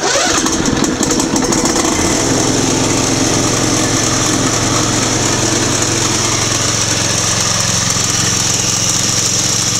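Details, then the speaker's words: Mower with 26 hp Briggs & Stratton Intek 445877 twin: starts and settles into loud steady idle with raspy chatter; owner suspects the bouncing drive belt tensioner pulley, belt old and hard. "it makes a hell of a noise when it's uh running and I think it's the it's hey the drive belt pulley right there uh tensioner it just bounces back and forth"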